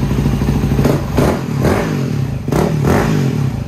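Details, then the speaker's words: Yamaha WR250R/WR250X single at about 26,000 miles, after cam chain and tensioner replacement: even idle with light blips, no top-end tapping or rattle; normal idle. "just about 10 hours later she's finally put back together and running smooth"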